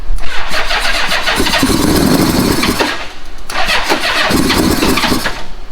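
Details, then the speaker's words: Old Honda Goldwing after the plugs were cleaned and the timing belt was checked: uneven bursts of firing that catch for a second or two, then fade, twice, not running on its own fuel. Owner suspects leftover starting fluid. "And then I hit the switch and it wants to start. It's promising. It's probably just the starting fluid that was in there."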